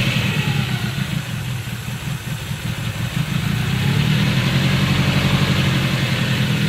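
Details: Subaru EJ20K engine at idle: repeating low knock about three per second riding over the exhaust rumble; internal engine knock, source undetermined.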